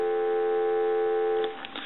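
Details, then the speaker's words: Duck-shaped novelty telephone during initial checkout, run on a temporary smaller handset-style plug: steady, unbroken two-note hum holds evenly for over a second before cutting off; normal dial tone. "I'm just doing this to troubleshoot it. You can actually hear the phone work. Give you some dial"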